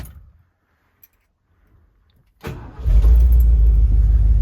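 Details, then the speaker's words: 1977 Ford Ranger parked 25 years, first start after new batteries, cleaned carburetor, new air filter, splash of gas in carb: brief crank, catches and settles into strong steady rumble; normal start. "she sounds pretty decent i'm gonna let it warm up for a bit clear the old fuel out of the line"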